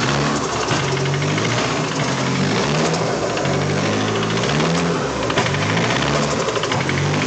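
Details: Used SR20DET turbo engine, the day after installation, idling: steady, hard knock over the idle, typical of a worn rod bearing, cause suspected not confirmed; rod knock at idle.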